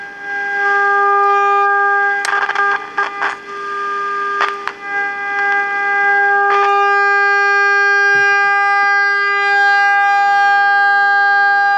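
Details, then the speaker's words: Becker Europa MU solid-state car radio with dead FM: 10.7 MHz signal-generator signal injected into IF gives a strong steady tone near 400 Hz, so IF is good; fault upstream in FM tuner coils or transistors. "so you can hear the if is hot in this thing I mean that's just laying there [Music] so that's just a 10.7 signal laying there so that that's hot it's real hot so the if is good"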